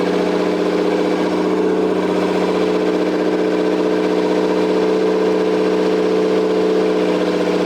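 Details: Toyota 7M-GTE straight-six (MA70 build) after a four-month rebuild and timing fix, with no exhaust, intercooler piping bypassed, no idle air control valve. Loud raw unmuffled idle with a steady fast, even pulse holding speed; normal running.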